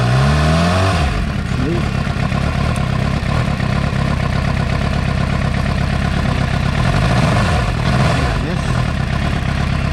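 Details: 2006 Suzuki GSX-R750 with a rough idle: loud, lumpy, uneven beat that stumbles as if not running on all 4 cylinders; it also stalls at lights and lacks power under load. Owner suspects a faulty coil pack, but coil resistances match.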